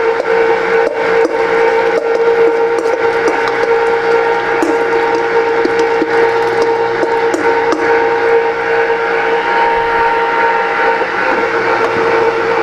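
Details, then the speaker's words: Fabio Leonardi MR0 tomato mill with SP5 attachment and 1/2 horsepower motor, fed twice-run skins and seeds after it was loosened from sticking: even motor drone with light ticks; running normally. "So the machine itself, wonderful machine. I can't feed it fast enough, that's how fast this machine is. And the reason for that is, this is a 1/2 horsepower motor."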